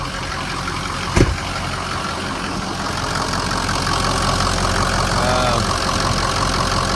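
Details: Cold start in cold, windy weather after repairs: new oil cooler, belt, heater core tubes and hoses, radiator hoses, fan clutch, coolant pump, thermostat and Y-pipe. It previously needed long cranking; now a steady, even, healthy idle.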